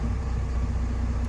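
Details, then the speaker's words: Ocean Alexander 46 repowered with twin FPT NEF 450 marine diesels: steady even low rumble idling at about 900 rpm, no knocks or misses; normal idle. "you can hear them there just nicely sitting at around about 900 rpm and then when"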